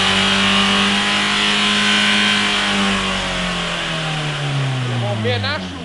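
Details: Mitsubishi Carisma diesel runaway after several liters too much engine oil overfilled; sustained screaming high revs barely easing off, engine feeding on its own oil.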